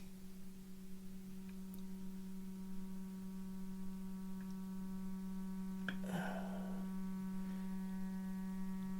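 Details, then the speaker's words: 1935 Philco 54C speaker on the bench, field coil energized around 40 mA at about 117 V, fed a roughly 200 Hz tone; clean steady low hum without buzz or rattle, speaker reproducing properly. "let's go ahead and put some audio on it that's down about it was about 200 I believe about 200 Hertz probably can't hear that there"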